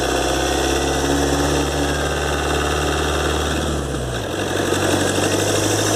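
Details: 2013 Ford Transit 2.2 diesel, warm, phone mounted under the hood while driving, after turbo repair (compressor wheel, shaft bushings, seals, actuator motor and gears replaced): constant high whistle over diesel rumble, dipping as revs fall; repair failed, owner suspects imbalance.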